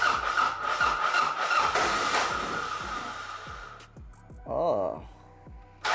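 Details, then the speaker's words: 1986 Toyota Corolla GTS AE86, first start attempts, in neutral: steady cranking pulses, then a brief uneven catch that fades and quits; rough running and stalling. "it did kind of spin over and turn on for a bit but I'm going to go ahead and disconnect the mass airflow connector"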